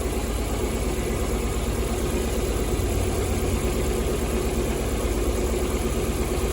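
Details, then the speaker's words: Lada Priora four-cylinder, key on, tester at the injector connectors: one cylinder has no injector pulse (ECU or broken wire suspected at first); uneven, lumpy idle of about three pulses a second; single-cylinder misfire. "Мінекей достар, бір цилиндрде импульс жоқ. Бір цилиндрде импульс жоқ."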